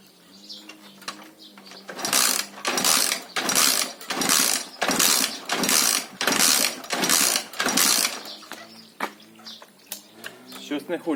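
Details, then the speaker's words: Alfa Lux 110cc moped with fuel and spark but no start, valves already adjusted. About eight quick whirring kick strokes with no puff, firing or compression resistance: compression lost, engine won't start; owner suspects a bent valve or head problem. "Клапана відрегульовані, але все одно компресія в нас не з'явилася."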